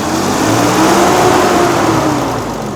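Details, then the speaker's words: Cummins diesel work truck after exhaust manifold replacement with a BD manifold: steady, even diesel idle with smooth low drone and no ticking or puffing from the manifold; normal idle, repair successful. "Beautiful. Aha, much better. Sounds great."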